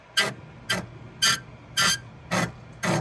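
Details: Voxelab Aquila X2 3D printer, Z axis raised manually: loud raspy squeaks about twice a second from the dry Z lead screw, the same problem also seen on an Ender 3 V2, later fixed with grease.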